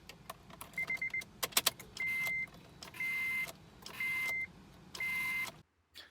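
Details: 2004 Acura TL, key turned normally: electronics come on but the engine never cranks, only a half-second high-toned buzz repeating about once a second; faulty ignition switch, replaced (no programming needed).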